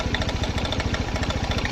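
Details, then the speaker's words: TVS Star City BS6 motorcycle engine: fast, even chuffing idle with a light, rapid metallic ticking over it; abnormal engine noise, part not identified. "इसमें engine में किस चीज की आवाज आ रही है, यह बताना है आपको।"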